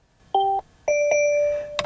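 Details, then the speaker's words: Mercedes C63 S bought from Copart with mechanical damage, stuck in park on a trailer, shifter unresponsive: two quick two-tone dings then a held fading chime in a silent car, dash warning power steering system and suspension malfunction. "Okay, there's one of them, power steering system malfunction, suspension malfunction, so a couple malfunctions, that's fun."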